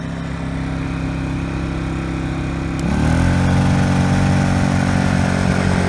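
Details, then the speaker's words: Honda EU1000i generator running rich after a carburetor cleaning: it runs fine at low speed but stutters at intermediate speed, worse under a 60 W bulb load, with smoke and a carboned plug; a new carburetor was later fitted. "at low speeds it sounds great once you get kind of an intermediate speed it starts to stutter and if you put a load on it it stutters even more"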